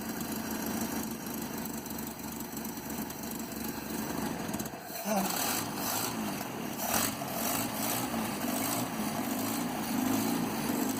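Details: 1967 Land Rover Series 2a 109 four-cylinder after cylinder head rebuild, carburetor and distributor untouched, choke removed after a few starts: steady even idle with soft rhythmic putter, no knocks or misses; running healthy.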